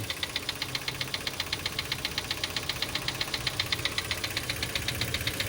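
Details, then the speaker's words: Mitsubishi Xpander idling after an oil change with oil far too thick (possibly gear oil) and a Honda filter fitted: sharp, regular metallic ticking about four times a second, timing chain rattle. "Lumabas na yung ingay. Tapos pansin ko rito, napakalapot na langis. Ang lapot ng langis na nilagay."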